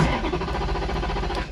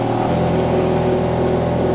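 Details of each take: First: Wrecked Ferrari 430 Scuderia after a five-minute battery reset, fuel warning light on despite fuel in the tank, F1 pump heard running. Steady starter cranking for about 1.5 seconds with no firing: cranks but won't start. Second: Ferrari 430 Scuderia after an accident, accident safety cut-off switch reset: fires quickly and settles into a steady, even rumble with no stumble or knock; healthy start and idle.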